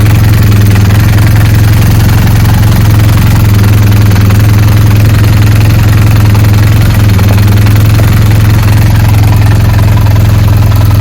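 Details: BMW R1200GS boxer at idle: a low, even thrum with a faint repeating mechanical chatter underneath, about three per second. Gearbox noise, cause not yet found.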